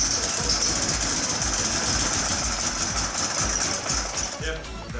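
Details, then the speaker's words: Toyota AE86 with new coil and igniter, distributor timing being adjusted by jumping teeth: uneven, stumbling beat under a loud hiss, pulses skipping irregularly; runs roughly on most cylinders, misfiring, cause not confirmed. "It kind of ran. That's the most progress we've made in terms of it running the whole time we've had it."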